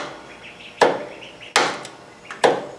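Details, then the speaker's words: Cub Cadet ZT2 zero-turn mower (Kawasaki engine) with 12 V jumped from battery positive straight to the solenoid tab: three sharp clicks about a second apart, starter never turns; bad starter solenoid, starter lock-up also suspected. "I can hear it clicking. I do hear the solenoid clicking, but the starter doesn't turn at all."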